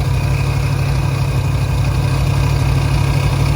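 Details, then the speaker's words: Resurrected 383 V8 at idle, oil pressure confirmed, fan bolt on front still loose: deep, loud idle with a steady, even lope and no ticking or knocking; engine sounds healthy. "We gotta tighten up that fan bolt on the front, but we got oil pressure. You hear that thing?"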